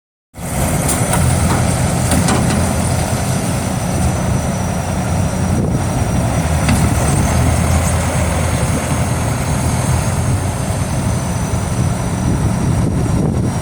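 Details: GAZ tracked all-terrain vehicle after repair: steady even low rumble, no knocks, rattles or misses at constant speed; engine sounds healthy.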